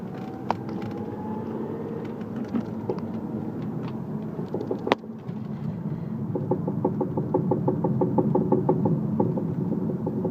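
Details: Audi A3 driving with regular quick knocking under road noise, appearing under power and stopping off power, in neutral, with the clutch in and when braking.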